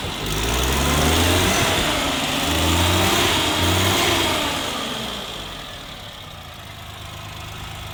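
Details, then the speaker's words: 1988 Suzuki Jimny 550cc turbo at idle: light steady tick over the engine hum, described as normal valve noise all these Suzukis make. "if you're wondering about that ticking thing that sound it's a suzuki thing it just every they all sound like that"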